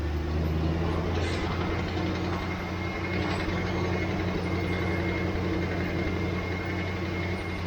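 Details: 1967 Mustang restarted once more before swapping its leaking carburetor: steady, even V8 idle with a smooth low rumble and no stumbles, knocks or hunting; engine running healthy.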